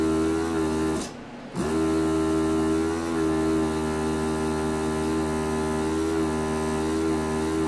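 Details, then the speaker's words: JBC DT530 angled desoldering iron, VN-C4 24V brushless pump, flashing red clog warning though nothing clogged or disconnected: steady hum with strong buzz and brief dropout, pump vibrates but no suction; owner suspects defective pump. "inside there's no suction yeah the pump's vibrating there's no lines disconnected or nothing just has no"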